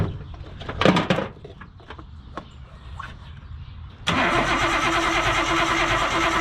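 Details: Nissan Cefiro RB25DET with donated replacement coil packs: handling clatter, then catches into a slightly lumpy idle with an uneven beat, one cylinder not firing; no spark was found there, and a wire was cut.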